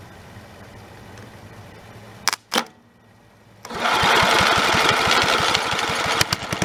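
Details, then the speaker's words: Snapper 30083 engine, abandoned 20–25 years, fitted with a replacement junkyard magneto: starts on the second try and settles into a steady, even beat with no knock or miss. Runs healthy. "i can't believe that thing runs motor sounds pretty healthy"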